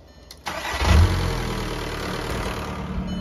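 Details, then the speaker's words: 2003 VW Jetta ALH TDI diesel after starter replacement, heard from outside: brief quick crank, catches at once with a short rev flare, then a steady, even idle; starts healthy and fast. "listen to this baby start now starts way faster too that starter sounds like it's really putting off some uh some juice now one more time let's do it from outside there you go ready"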